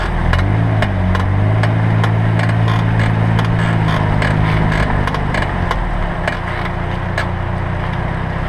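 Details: 2007 Pontiac Vibe/Toyota Matrix left front brake, new pads and lathed rotors three months earlier: sharp irregular creaks and clicks only while braking; pads contacting bare pad holders, fixed by greasing pads and holders.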